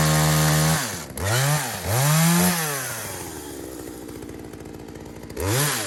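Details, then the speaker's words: Poulan 2075C chainsaw, likely 32cc with 16-inch bar, after a carburetor adjuster mod, cold start at about 15°F: crisp high revs that drop smoothly into the cut and climb back cleanly; engine pulls strong under load, running normally. "We're gonna run through this, make sure it's cutting. I ain't really too worried about the chain. I really just need to make sure the motor itself is running okay and it'll fire up."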